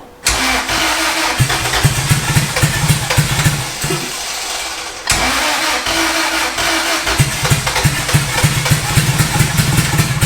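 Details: Boosted Honda Integra, first start: the engine fires and runs with an uneven, lumpy beat, sags, nearly stalls, then catches. Rough running; the owners suspect an old fuel pressure regulator and bad gas.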